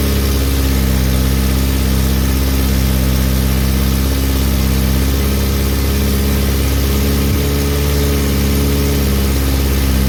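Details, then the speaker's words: VW Mk2 Golf petrol engine running for the first time in 20 years on a cold -2°C morning, fuel fed manually after a fuel leak: steady, even low idle with no misses, knocks or hunting. "It's alive. Right, what you all think of that?"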